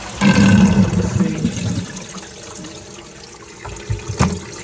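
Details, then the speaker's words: First test flush of a toilet that kept overflowing, after the cistern's inlet and float were worked on and it refilled: a strong rush of water tailing off smoothly into a quiet refill. A clean, normal flush. "so I'm quite happy with that first flush"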